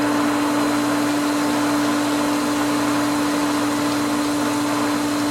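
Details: Pool pump at spring opening, winterized skimmer line just cracked open: steady motor hum with hissy rushing flow as the pump pulls air through the line, risking loss of prime; valve opened gradually.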